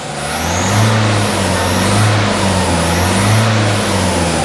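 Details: Diesel starting lazily on weak battery, now not smoking: high thin squeal rises and falls with each throttle blip; leaking EGR joint.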